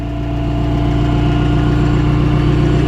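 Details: Wisconsin V465D air-cooled V4 petrol engine (skid steer) idling steadily, even low thrum, no misses; after new flywheel ring gear, refurbished starter, new spark plugs and fresh gas fixed earlier misfires; not fully warm, started on choke.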